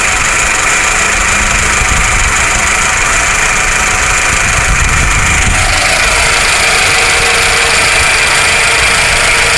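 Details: Rebuilt 2.2L engine in a 1999 Toyota Camry/Solara idling roughly and bucking, with a harsh diesel-like clatter as the rpm rises a little and then sags; cause unknown.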